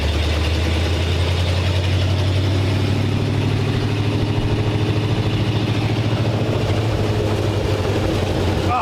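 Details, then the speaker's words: 1947 Ford panel truck with new exhaust, driving under load: loud low drone with loose, uneven puffing ticking; much quieter than before, but an exhaust leak remains at the engine. "ah it's definitely a lot quieter yesterday exhaust leak at the engine now more"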